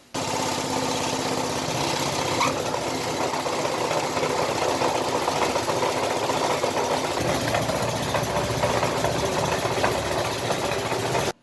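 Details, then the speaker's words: Old second-hand John Deere TRS32 snow blower shaking badly after likely hitting something: steady engine drone with a dense shaking rattle throughout. Suspected impeller imbalance from a bent blade; also needs seals and bushings. "The problem I have now is that when it's running, it sounds horrible. It sounds like it's going to just rattle itself apart."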